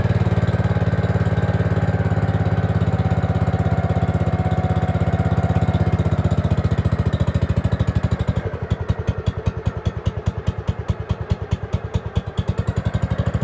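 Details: Gravely 5665 freshly fitted with a China carburetor (after a 15hp carb was tried), air cleaner on: a lumpy single-cylinder putter with wandering firing spacing runs only on partial choke. A lean mixture is suspected, not confirmed.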